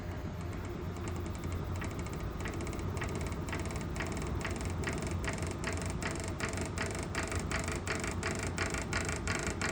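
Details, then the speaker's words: Pulse motor with six-coil drive circuit, permanent-magnet stator removed and magnet stacks under the rotor for lift: evenly spaced sharp ticks speeding up as the rotor spins, with a loud ratcheting clatter and quicker slowdown; owner thinks it is the magnets rattling. "I think it's just the magnets rattling it really does sound like that"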